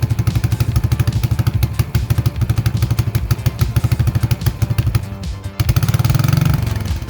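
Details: Vintage 1980 Yamaha SR250 single-cylinder motorcycle, bike pulled out of a shed and bump-started: deep, punchy, lumpy thump pulling cleanly through gear changes. It runs healthily and goes through all the gears.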